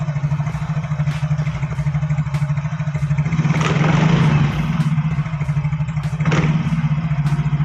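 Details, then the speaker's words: Yamaha Fino automatic scooter, camera close to CVT: smooth idle, then loose irregular rattle swelling when throttle is snapped; suspected worn CVT parts such as slider pieces, face cam boss, CVT case or secondary pulley bearings, not confirmed; dual pin found loose. "nah selain ngedek timbul suara kasar pada saat e gas disentak atau saat diakselerasi timbul suara agak rekrek krek gitu untuk suaranya di area gvt tepatnya Kang Bro"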